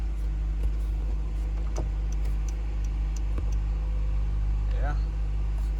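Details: Car after replacing a failed transmission range (park/neutral) switch that caused no-crank, stuck key and stuck shifter, cycled through the gears: low, quiet steady idle, no knocks or misses; starts and runs normally, repair successful, though the starter may need replacing.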